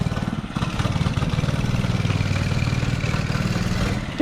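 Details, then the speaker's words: Mini bike small single-cylinder engine just after the carburetor was cleaned, idling for about 10 seconds or more: steady, even thumping idle with no misses or knocks; engine running healthy. "my brother cleaned the carburetor right now it's been idling for about 10 seconds or more"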